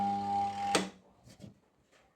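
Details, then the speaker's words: Washing machine spin motor powered, drawing 1.3 A: steady electrical hum with no spin-up, then a click and silence; motor stalled because the spin brake is stuck on. "Dia hanya mendengung saja tidak berputar."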